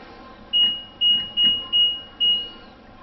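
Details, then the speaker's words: LG washing machine reassembled after tub and drum reinstallation, plugged in and switched on: series of clean, steady high beeps on power-up; electronics respond, connections good; normal power-on beeps. "Электроника работает, значит мы соединили нормально."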